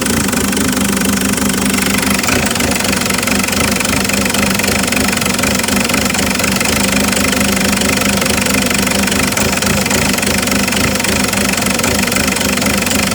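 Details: Isuzu 4JX1 diesel at idle, checked with Tech2 data; loud clatter with an uneven loping beat about four per second; rough idle.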